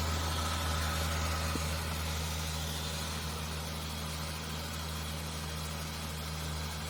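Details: Ford EL Falcon Futura, off the road for years, idling after repairs, with water rather than coolant in the system and a small bottom hard-line leak tightened: steady, smooth idle with an even low hum, no ticks or knocks; healthy.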